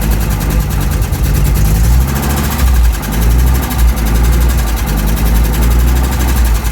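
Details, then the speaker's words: 1992 Audi Coupe during restoration after inline fuel filter fix, first-start idle: deep, steady running with a gentle throttle blip or two, firing evenly with no misses or knocks; sounds good. "Sounds good. That could just be idle control, like if it's sparring from cold."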